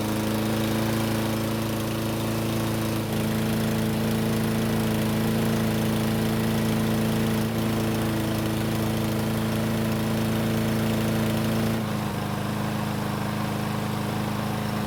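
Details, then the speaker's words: Troy-Bilt self-propelled lawn mower, warm after running several minutes following repairs, oil possibly slightly overfilled: small engine holds a steady, even drone about fifteen seconds without stumbling or surging, then shuts down cleanly; running normally. "It's been running for several minutes and it should be good and hot."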